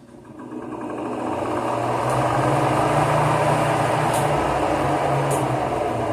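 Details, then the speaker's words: Fan motor reassembled after replacing bushings with bearings, which had developed a dry-bushing scraping noise a week later: spins up over two seconds to a steady even hum with no scraping or rattle; problem resolved. "Já não tem mais aquele barulho de como se fosse bucha seca raspando no eixo, né? Vejam que já está resolvido aqui o nosso problema, ó."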